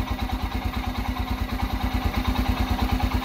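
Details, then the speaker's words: Royal Enfield Himalayan, fuel-injected, that starts then cuts out by itself, also while riding; choke lever held: soft, thin idle with a slow uneven thump about three per second, close to stalling. Owner suspects fuel injector or battery problems. "आप देख रहे हैं आवाज इसकी बिल्कुल आहिस्ता से आवाज आ रही और य कटफ हो"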